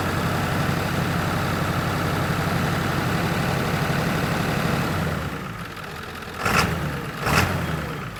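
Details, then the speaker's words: 1997 Ford F350 7.3 diesel after water in fuel cleared: steady, even idle with smooth low rumble, no stumble or miss; running clean, though front tank still has water. "oh she's already sounding better at least it doesn't sound broke doesn't sound like it has a mist or anything anymore oo look at that she's cleaning up"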